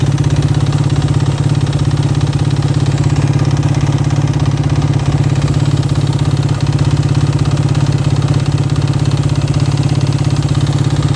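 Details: Warm 2009 Yamaha YFZ450R at idle, more noticeable when warm, still makes power and doesn't smoke: steady knock about three per second over exhaust beat; suspected piston slap, not confirmed.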